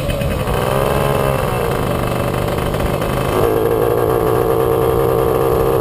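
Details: Puch Maxi moped "Jägermeister", 2 HP two-stroke, riding before repair. The note wavers and catches instead of pulling smoothly. Intermittent ignition misfire, not the carburettor: the NGK plug cap has a loose contact and a broken pin.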